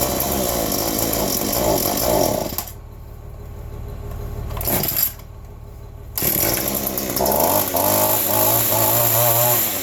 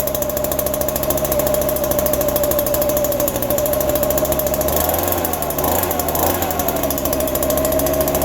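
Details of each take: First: Cold two-stroke yard tool (the 210) in December keeps wanting to die: buzzing drops almost to nothing, catches, revs unevenly. Owner suspects it needs carb work from sitting; cold-stall cause unconfirmed. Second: Small two-stroke yard tool cold-started in December with only a little fresh gas, fuel dripping from an unknown leak; fired right up, quickest ever. High, steady buzz holds through a brief rev, running clean and healthy.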